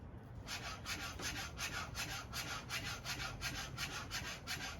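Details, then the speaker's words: 2021 Yamaha YZ250 fork with Race Tech springs, before polishing the spring: rhythmic raspy scraping about three strokes a second as the fork cycles, unpolished spring rubbing inside the tube; polishing gave a much quieter sound; fork spring rubbing. "That's what it sounds like when the spring's not polished."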